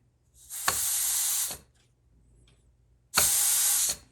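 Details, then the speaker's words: Ford C6 transmission rebuild, air check on bench: two clean air hiss bursts about a second each from imperfect nozzle seal and the direct clutch piston bleed ball venting; normal. "okay all right the hissing you're hearing is a little bit right here my um tip of my nozzle doesn't make a perfect seal"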